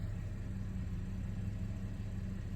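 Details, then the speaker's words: 2010 Audi A6 C7 3.0 supercharged V6 idling after new spark plugs and cleared codes P0300, P0304 and P0305. Low, even idle with no stumbles or skips and no warning lights. Normal idle, no misfire. "okay it's idling fine right now no lights idle is pretty"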